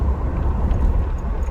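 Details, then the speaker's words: 2004 GMC Envoy, inline-6, 251K miles, test drive after front drivetrain repair: only smooth, low road rumble, no grinding or clunking over bumps or hard braking; quiet and healthy, though a slight grind remains in 4x4. "So far so good. Bumps. Wow. It's quiet."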